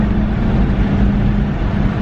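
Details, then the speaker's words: Saab 9-5 warmed up with a used junkyard OEM DIC fitted after a leak fix, given a light throttle blip. It pulls smooth and even with no stumble or popping; no misfire and no check engine light. "that was seems to be running well no check engine light either"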